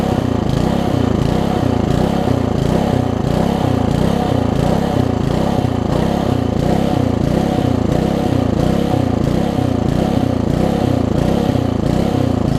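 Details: Old (1996 or later) Troy-Bilt Tuffy tiller, 4 hp Briggs, left outside, before repair, air filter cover off: rhythmic pulsing about ninety times a minute instead of even running; surging, owner thinks original carburetor too far gone despite new diaphragm.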